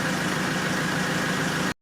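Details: Diesel car after service with fuel filter change, self-purging after misfires: smooth, even diesel clatter at steady idle, no misses or surging before cut-off; starts with no more problem, normal idle.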